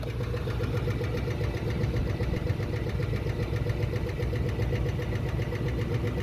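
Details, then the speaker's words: 1966 Ford Mustang 289 V8 that had no oil (black oil) and was burning oil, microphone at the oil pan: deep uneven bottom-end knock, three or four a second, with tapping on top; spun rod bearing. "So that's knocking to me. I've heard a lot of spun bearing engines. I've blown up a few engines myself racing and that's that that's bad. That's not a good sound."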